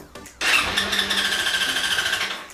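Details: 2002 Suzuki DRZ-400E single-cylinder dual sport, converted for road use, has odd electrical faults and cranks without firing unless the kill switch is out: brief crank, then it catches at once with an even, crisp pulse. Normal start.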